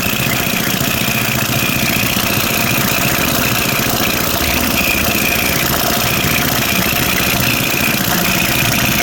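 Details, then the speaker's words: Toro 724 OE 7 hp snowblower, previously losing compression: runs fast and steady with a loose, clattery top end over the exhaust; valve clearance found far too loose, needs valve adjustment. "so I'm going to go ahead and put this back together now that it runs and tell them it needs a valve adjustment"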